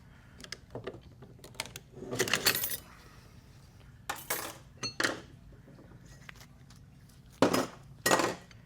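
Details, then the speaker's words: Sharp, clean metallic ring as a screwdriver taps a 4L80E transmission forward clutch hub during rebuild: a hard, good hub, unlike a cast iron one that thuds. "hear that ring it's a hard one it's a really good one"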